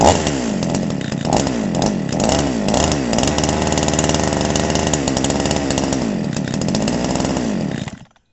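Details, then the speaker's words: Chinese 52cc two-stroke chainsaw with AF intake, first start; hard-used with a grooved crankshaft and mixture screws set well out. A few sharp throttle blips, then a crisp steady high-speed run before cutting out; revs freely and sounds healthy. "but that sounds sounds better than i thought it would"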